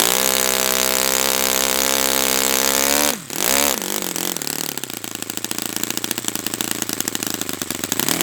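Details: Brand-new Saito FA-100T twin model engine on test stand during break-in run: high, even buzzing drone holds steady three seconds before cutting off, both cylinders firing cleanly; running perfectly, normal.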